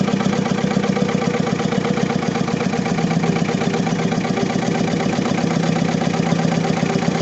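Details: Diesel engine with low power, vibration and black smoke: lumpy, shaking idle around 158 beats a minute with one cylinder dropping out; misfire from a fuel system fault needing repair.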